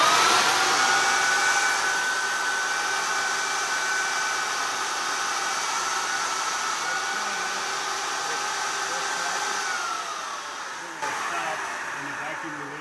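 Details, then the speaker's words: Plastic drying/vacuum loader unit for an injection molding machine, switched on and cycling, with air valves on top: steady high blower whine and airy rush until the cycle ends; working properly. "you'll see it's like going through a process it's got some uh some air valves in the top"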